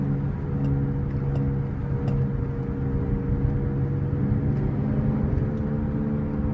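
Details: 2005 Cadillac SRX 3.6 V6 while driving: steady low drone over road noise; owner attributes humming to a wheel bearing, not confirmed.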